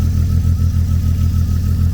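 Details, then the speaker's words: BMW E36 convertible, engine idling with the muffler off, which makes it louder: low, lumpy idle with a regular stumble, a beat dropping out; one cylinder misfiring, being traced by unplugging coils one at a time starting at cylinder 1. "misfire, and especially without the muffler on it, it makes it even louder. So I guess the best thing we're gonna have to do right now and try to figure out is what cylinder is misfiring, and then we can try to go from there."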